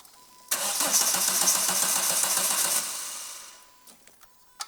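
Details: Renault Clio 172, without an engine for 9 years, with a newly installed engine and a replacement second-hand fuel pump. About two seconds of steady starter cranking, nearly four beats a second, with no catch: a long crank, no start.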